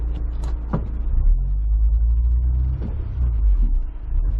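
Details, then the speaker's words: 2003 Honda S2000 AP1 after OEM catalytic converter and correct fuel injectors fitted, warmed up: smooth deep exhaust rumble under acceleration with no bogging or misfire; slight click possibly from diff or propeller shaft. "no bogging down a little bit of that click in the diff maybe it's the propeller shaft but we'll find out doesn't really choke"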